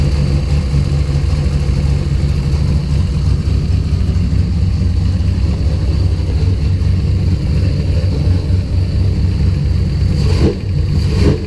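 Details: Deep, heavy idle that doesn't settle into an even beat; rough running. Coil/distributor spark was restored by moving the wiring loom. Fuel pressure was 50 after prime and over 60 during prime. The engine sneezes fuel and runs really rich.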